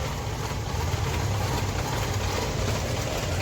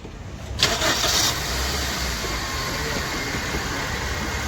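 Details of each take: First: Suzuki SX4 petrol engine after sitting parked three to four months: starts only with long cranking, then a rough, stumbling idle misfire and won't rev. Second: Suzuki SX4 petrol/CNG car that long-cranked, misfired and wouldn't rev on petrol after sitting 3–4 months; fixed with new fuel pump, cleaned tank, throttle body and spark plugs: quick crank, catches first try into smooth steady idle.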